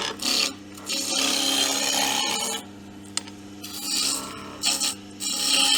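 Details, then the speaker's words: Wood lathe turning camphor laurel with a sharp gouge: bursts of soft, steady hiss on even passes over a low motor hum, no stress on the machine; clean cut. "I always say with with turning it's not just seeing how the shavings come off it's actually you can actually hear it you get that lovely hissing sound um and there's no stress on the machine"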